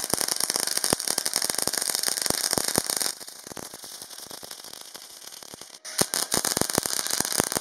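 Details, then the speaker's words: Parkside PMSG 200A2 multi-process welder, MAG on 8 mm plate with 60° bevel, 2 mm gap, 0.8 mm wire, two passes at 21 V/140 A and 22.5 V/160 A: even crackling sizzle with rapid pops; stable arc, result satisfactory but at its thickness limit. "परिणाम संतोषजनक है लेकिन यह मोटाई में सीमा होगी क्योंकि पहले से ही यह 180 एम्पियर के लायक होता।"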